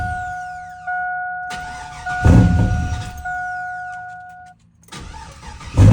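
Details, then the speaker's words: 2001 Chevrolet Silverado that wouldn't start one morning; fuel pump replaced a year ago and audible. Two bursts of starter cranking never catch, with a chime in the background: cranks but won't start. Owners suspect the security system. "all right so we were talking to Jonathan trying to figure out what's wrong like I said the truck doesn't start I'll show you the clip in a bit"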